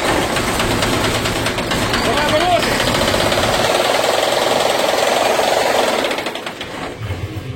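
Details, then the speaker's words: MAN TGA 18.430 diesel truck revved, then shut off at high rpm: a rapid hard knock keeps sounding until the last revolution as it winds down, so the knock is in the engine itself, not the injectors. "Двигатель заглушили. И слышно стук утихающий на момент, когда заглушили. То есть в итоге у нас стучит двигатель."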